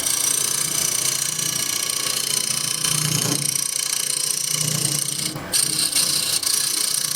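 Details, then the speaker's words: Woodturning a holiday tray blank on the lathe, cutting a recess with a scraper: scraping hiss with low pulsing chatter that comes and goes as the tool crosses the uneven top; workpiece vibration from the uneven blank surface. "scraper can hear that vibration [Music] and from uneven top and that's [Music] okay"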